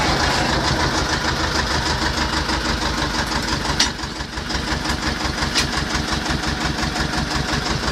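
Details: T-25 tractor diesel after repair: steady, even diesel clatter at idle with regular firing beat, no knocks or misses; normal diesel idle.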